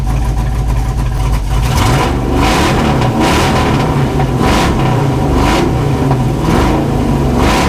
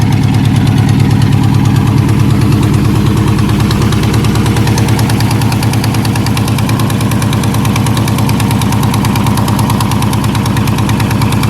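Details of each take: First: Junkyard LS V8 with an eBay cam in an S10 drag truck, coolant at about 194°F: deep, even V8 revs blip up and settle about once a second, crisp and clean with no knocks or misses. Normal revving. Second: S10 drag truck with junkyard LS V8 and eBay cam, started on a ~50°F day: loud lumpy cam idle sounding pretty good, with a sharp ticking puff on each firing pulse from a small exhaust leak.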